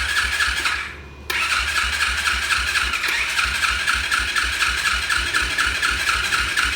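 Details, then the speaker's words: Orion RXB 150 pit bike after an oil change, carburetor refitted without gasket, sealing on O-ring, fuel leaking: starts hard and settles into a choppy, uneven idle with a loud rasp; still running rough; owner suspects the junk coil. "Okay, so I changed the oil. This thing's still running like crap."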